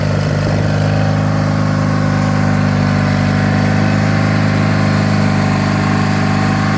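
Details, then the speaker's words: 1985 John Deere 318 garden tractor twin, running after three months in storage: a steady, even drone with no knocks or stumbles. The engine sounds healthy and good. "it's a pretty good sounding engine I like the sound of the p2 18 a little bit better though but that's just a personal preference"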